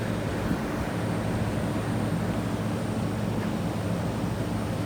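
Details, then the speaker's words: York 3-ton heat pump at a restaurant, not cooling, 93°F day: steady low fan and compressor drone with faint high hiss; iced coil, low refrigerant charge, leak suspected at evaporator coil, no oil found yet. "I'm gonna come back and leak check this unit she's got a leaker somewhere I'm suspecting the evaporator coil"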